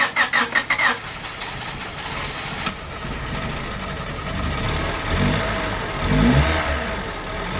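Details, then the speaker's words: 1998 Honda Civic with a long-sitting replacement engine swapped in after a rod bearing failure: a quick burst of cranking pulses, then it catches and settles into a steady, even idle with light revving; healthy first start. "what do you know damn thing run sound okay oil is getting thrown around"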